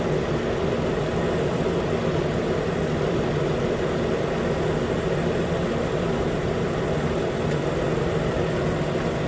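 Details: 2013 Nissan Pathfinder with 265k miles, just after AC clutch and serpentine belt replacement: steady, even idle with AC engaged, no squeal, chirp or grinding from belt or compressor; healthy.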